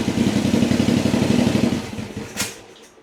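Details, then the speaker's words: Yamaha XV1000 Virago V-twin, 1000cc engine fitted with 750cc heads for high compression (about 180 psi), first start on jump battery, early cold morning: lumpy even beat, clean rev, smooth return; runs healthy, one backfire probably from excess fuel. "That sounds sick. Sounds really good. I'm happy with that."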